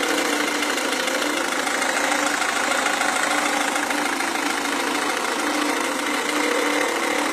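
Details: Renault Megane 1.5 dCi diesel at idle: a fast, fairly regular tapping, about three per second, over the usual diesel clatter; a knock of unknown origin.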